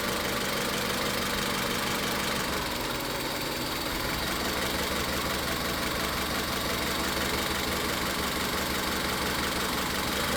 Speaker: Entonces, ya en este punto nos estamos dando cuenta de que hay falla en el cilindro tres y de que el problema no es la chispa.